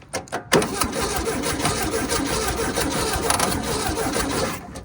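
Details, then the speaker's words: 1968 VW Baja Bug pulled from a barn after decades, cranking in neutral before ignition and fuel are added: steady, fast starter churning for about four seconds with no firing. The starter sounds weak, possibly due to its connections. Cranks without starting. "The starter doesn't sound the best, honestly, but it might be the connections."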